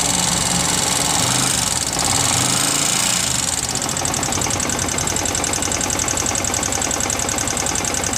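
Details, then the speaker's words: Yamaha R15 engine running with fast light valve-train tapping over a busy noisy idle, loudest at cylinder block and head; valve clearance set too tight wore valve stem tips and adjuster screws, engine then disassembled. "Oke jadi seperti itu suaranya Suaranya terdengar dominan di bagian blok silinder dan Head Silinder ya"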